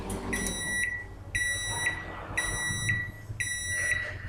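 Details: Microwave repaired for a faulty door switch that left it running with the door open, ending a 30-second test heating water: four sharp high beeps about one second apart over a faint hum, a normal end of cycle.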